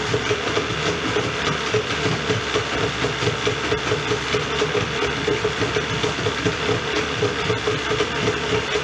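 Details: Rebuilt Yamaha 40hp two-stroke outboard, lower unit refilled and shifting well, idling steadily with an even buzzy rattle, no misses or surges, before a final compression check.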